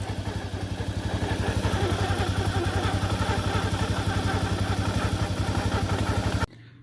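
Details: Italika motorcycle idling, buzzing rattle only when a gear is engaged, fine in neutral; customer told it was clutch plates, but cause is a worn bushing in the transmission gears.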